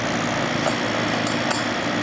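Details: December 1995 Carrier VisionAire 6050 BTU 6 A window A/C after hose clean-out, rear fan freshly oiled and its clip off, just started: even airy whoosh with steady motor drone, no squeal or rubbing; normal running.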